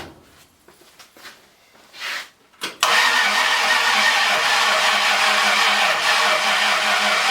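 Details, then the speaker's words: Ford 302 V8, freshly rebuilt with a new cam and just installed, battery sounding weak: clicking, then weak rhythmic cranking at about three beats a second that never catches; the distributor was confirmed 180 degrees out. "Something's not right. Pull the number one spark plug. See if I'm 180 out."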